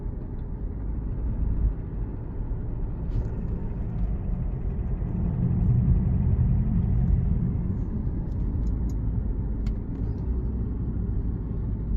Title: Alfa Romeo Giulia 2.2diesel 150CV - What is this knocking sound at cold engine?